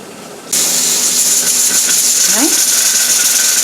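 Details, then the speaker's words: All American pressure canner canning ground beef, with the weighted gauge set at 15 for Ohio's altitude. A loud, steady steam hiss as the weight rocks quickly and evenly, pressure just above 15: correct operating pressure. "hear the little gadget over there? And our pressure is up a little bit above the 15 mark. That is perfect."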